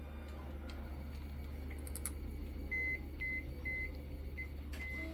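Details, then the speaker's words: Philips Azur Elite steam iron that won't heat, continuity tester on the thermostat contact: short beeps only in brief irregular bursts when the contact is pressed; the thermostat contacts are open and are bent so they touch again. "şu bağlı olsa bu buna şöyle ötecek ama bağlı olmadığı için ötmüyor"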